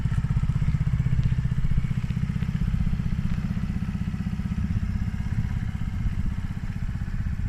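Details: Polaris Outlaw 50cc quad after carb clean and blocked pilot jet cleared (previously overflow leak, no start). Small single thumps evenly at low speed, no misfires, stumbles or knocks: normal running.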